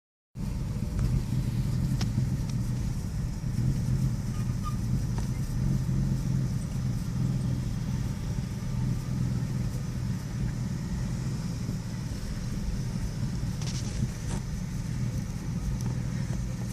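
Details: 2001 Nissan Xterra petrol engine with a lumpy, uneven idle; the rough idle is intermittent, rough for 5-10 minutes and then normal for about 5, and it also has a misfire problem.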